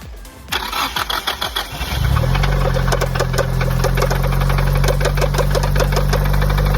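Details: Nissan Silvia S14 (240SX) with SR20 on E85, towed back after failing on the first test drive: catches after a few seconds of cranking, then idles with a fast, fairly even valvetrain tick; camshaft journals scored and a lifter stuck closed are suspected, not confirmed.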